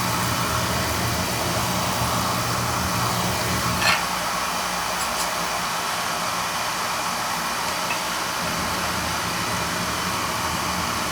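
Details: Oil burner with tankless coil and outside chimney, limits set at 180, fired during annual service to check draft over the fire: steady, even flame roar with a smooth hiss and no pulsing or rumble; firing cleanly.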